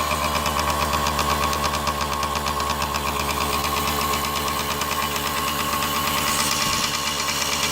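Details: Kawasaki KD80 two-stroke, first run after oil system, carburetor and ignition short repair: crisp, even ring-ding popping at steady idle, no misses or rattles; running healthy.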